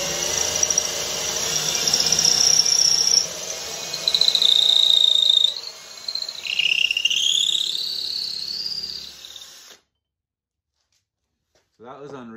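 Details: Cordless drill boring through two stacked wood boards, started slowly, following a pilot hole through the first board, none in the second, recorded real time: high motor whine dips and recovers as the bit bites each board, then stops; normal drilling.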